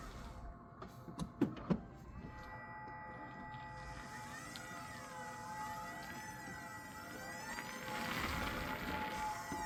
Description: High pitched loud squeal when rolling, forward, reverse and neutral. 300 miles on the odometer. 2025 Camry LE transaxle seal failure